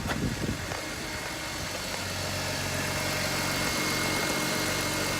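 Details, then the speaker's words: BMW X3 E83 after oil leak repairs: steady even idle with smooth low hum, no knocks or rattles; runs and sounds good, no more oil leaks. "Should have no more oil leaks now. Runs good, sounds good. Everything's hooked up."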